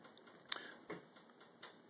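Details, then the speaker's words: Stove burner heating up under a pot of tomatillo marmalade: faint, sparse, irregular light ticks in a quiet room, normal burner ticking while heating. "if you hear that ticking sound, that means that the burner is heating up."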